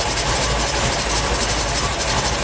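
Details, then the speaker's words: Reliant Scimitar Essex V6 pushrod engine, first start after fixing the top-end rattle: steady idle with a faint, light tapping at the front from a tool left against the spinning front pulley. "All right, just so that you know, double check that you don't Double check, guys. leave tools on the flywheel. Yes. On the pulley, front pulley."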